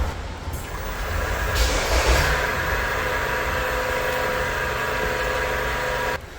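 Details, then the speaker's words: LPG car with no-start, fuel pump heard while cranking: steady tight laboured hum, not smooth, because the tank fuel cut valve is stuck shut and the pump builds pressure against it instead of circulating through the regulator. "한 번 더 돌려볼게요. 어쨌습니까? 소리가 조금 좀 부하가 걸린 듯한 소리가 나지 않습니까? 예, 조금 좀 부드럽지는 못해요."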